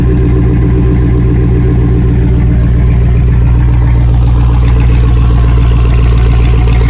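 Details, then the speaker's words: LS-swap V8 starting and settling into idle just after VATS was deleted from the PCM; throttle body and relays click at key-on, then a strong, steady low rumble with no stumbles or knocks: normal idle. "There we are, up and running. That's how you delete the VATS on your LS build."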